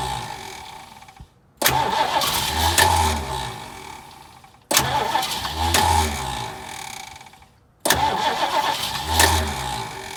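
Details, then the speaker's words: 1968 Mustang that sat 8 years, new battery, a few capfuls of fuel poured into the carb: three steady cranks but it never catches. Owner suspects the fuel pump isn't pumping or the carb is dry; it later ran after a carb swap and new fuel pump. "So maybe my fuel pump isn't pumping fuel, guys. Or that carb doesn't have fuel in it."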